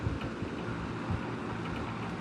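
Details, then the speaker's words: McGraw Edison Kmart 12" box fan from around 1970, running on low: steady motor hum with a loose, uneven rattle and light ticking. Worn motor bearing that gets rattly once warmed up. "It runs great though. It's just once it warms up, the bearing just starts getting rattly, and I don't like that."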